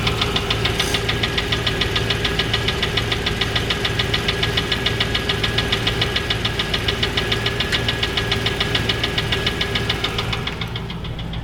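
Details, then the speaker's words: Land Rover Discovery 3.9 V8 with top-hat sleeves, rebuilt 40,000 km ago, runs smooth with clean oil and good oil pressure; sharp even knock about three times a second at idle, louder from underneath; mechanic suspects big-end failure, unconfirmed. "that gives you an idea it just seems louder at the bottom that's why the local mechanic is within the land rover guy seems to think it's a big end"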